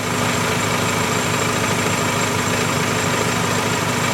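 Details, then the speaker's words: High-mileage 2000 Toyota Camry 4-cylinder with repaired exhaust, warmed up: steady, even low hum at about 800 rpm with no knocks or misfire. Normal warm idle. "And if you listen carefully, solid rice cake farts. Not a misfire at all. And there you go. She's sitting about 800 RPM or so now."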